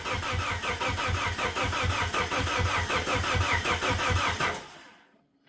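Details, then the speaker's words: 1999 Plymouth Neon sat at least 8 years, makeshift fuel tank with external pump pressurized: even cranking about three pulses a second for over four seconds, never catches; crank no start. "still nothing so I'm not sure what's going on with this thing the uh pump pressurized"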